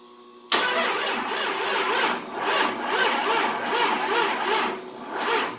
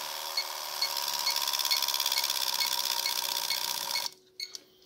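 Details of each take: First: 24-valve Cummins with hot-wired standalone ECM/PCM after a Dodge delete, fuel pump running, battery on a booster charger. Two long spells of slow, even cranking with compression pulses but no start. Battery amps and fuel delivery are suspected, not confirmed. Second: 24-valve Cummins on a second-gen Dodge frame, standalone wiring, lift pump powered directly with a Power Probe: steady high-pitched buzz with light regular ticking about twice a second, then cuts off cleanly; lift pump running normally.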